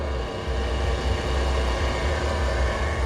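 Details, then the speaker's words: 2006 Jeep Grand Cherokee after a thermostat change and radiator flush to fix poor heating: smooth, steady low engine rumble with no knocks, ticks or misses; the engine runs normally. "all right so it sounds good"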